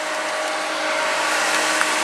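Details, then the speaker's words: Whisper Flow variable-speed pool pump at highest speed four with raised water feature flowing: soft steady motor hum under rushing water, no rattle, grinding or squeal; very quiet, normal running. "as you can hear it is very very quiet we're going to drop it back down to its normal operational speed"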